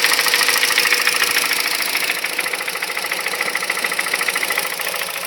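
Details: 2006 Honda Civic Hybrid 1.3 IMA petrol engine idles with a steady, sharp knock about three to four beats a second that goes silent above 2200 rpm; owner unsure whether camshaft, valves, bearings, timing chain or piston slap.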